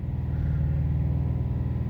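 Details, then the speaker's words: 2017–2018 Subaru WRX STI boxer, while driving: deep steady low rumble with a loud droning resonance at one particular rpm, no knock or tick; owner speculates flywheel weight and software changes, cause unconfirmed. "okay we've got a spot here where the cars sort of these engines making a lot of noise"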